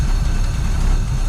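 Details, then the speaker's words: 1953 Buick, not run in 30 years, running on its own fuel supply after fuel system reconnect and tank flush, carburetor untouched; steady deep even idle with no misses, knocks or ticks: normal idle. "idling pretty gosh darn good I would say"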